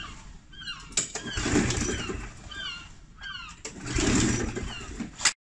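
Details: Challenge Xtreme XSS40A lawn mower that is not priming: two pull-start attempts, each catching briefly and sputtering out within about a second. It fires but won't stay running; the owner suspects the 2-stroke or fuel stabiliser in the fuel.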